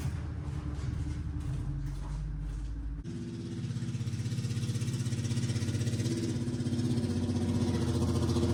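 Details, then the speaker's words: 1981 Chevy LUV truck revived after sitting 23 years, running after carburetor work with a muffler not yet clamped: engine catches and settles into an even, steady run with a throaty exhaust and no misses; normal running. "Damn, that sounded good, too. I know that sounded good, but we made it around the barn."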